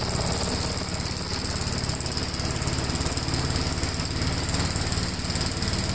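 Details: 1957 Gravely tractor during mowing test after air cleaner service; steady, even single-cylinder thump holding speed under mowing load, no misses or knocks; engine running healthy.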